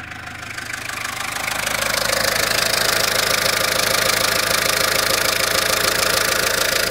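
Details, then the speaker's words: Citroën Berlingo diesel at idle right after an oil change, its first in about three years: steady sharp clatter of about three ticks a second that grows louder, absent before the change; the cause is unclear. "Ładnie se klekocze Nie wiem co mu było przez chwilę"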